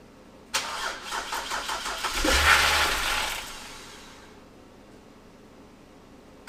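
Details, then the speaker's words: BMW E60 (Copart car), first start on replacement eBay ECU, no coolant, low battery on jump pack: starter cranks quickly, engine catches, surges briefly, dies within about two seconds; MAF and cam sensors plugged in, owner suspects bad fuel. "Starts, but it keeps starting to die. Make sure I got that mass airflow is plugged in. Cam sensors are all plugged in. I don't know why it's dying, but I mean, it's hard telling what kind of gas is in it."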